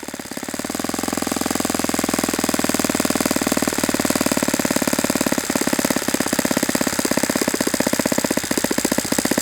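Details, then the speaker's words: Saito FA-91S model four-stroke glow engine on test stand, not run in years, cool 60°F day, with a plug that looks dim: high fast buzz holds steady without reaching full revs; reduced peak RPM, idle slightly different, weak glow plug suspected. "Okay, I've seen enough with that plug. Uh, I don't think I'm getting the same peak RPM with that plug and the idle seemed a little bit different."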